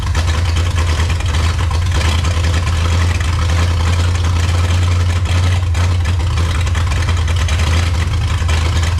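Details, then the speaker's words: 1954 Chrysler New Yorker 331 Hemi V8 unrun 50+ years, first start: heavy, lumpy, uneven rumble with no clean idle; carburetor pours fuel on acceleration and won't cut off, owner suspects sticking float, carb needs rebuilding. "Yeah, the carburetor obviously needs to be rebuilt. My guess is maybe the float sticking or something, because as soon as you accelerate, it looks like you've got a restaurant ketchup squeeze bottle, and you're just pouring gas down it."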